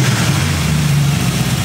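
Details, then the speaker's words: 1940 Ford Tudor with Holley carburetor from a 383 big block, mixture screws 1.5 turns out, 7 psi fuel, choke not yet hooked up, before warm-up: low even V8 idle about 800 rpm, no stumble. "so I think we're in a ballpark I'm running right about 800 RPMs"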